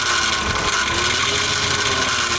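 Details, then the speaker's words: Barn-find BMW E34 running after electrical repair: a steady high whine rides over the idle, pointing toward the accessory drive; owner suspects a loose pulley and judges it not roadworthy with that noise. "yeah yeah the pulley might be loose oh my god yeah after that i'm 100 not driving this on the road i'm gonna try and figure that out and see what that noise is because there's no way i would make it far with that noise"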